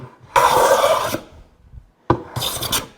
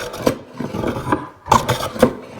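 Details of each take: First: Hand plane on hardwood cutting-board stock after cross-grain ridges removed along the edge: five even rasping strokes about a second each with short pauses, plane now cutting end to end cleanly; normal full-length cut. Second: Hand plane on hardwood cutting-board stock, light cut, board turned to follow the grain: broken, uneven rasping strokes with gaps between bites as the plane skips, only nipping tops of cross-grain ridges.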